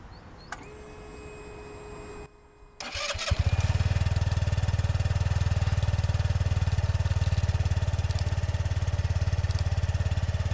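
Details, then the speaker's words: 2021 SYM Jet 14 125i scooter at 25,000 km, rated 74 dB, starts promptly and holds a smooth, low, even idle with no misses. The faint background crackle is a loose license plate. "Er ist mit seinen 74 Dezibel echt nicht der lauteste, was ich eigentlich sehr gut finde."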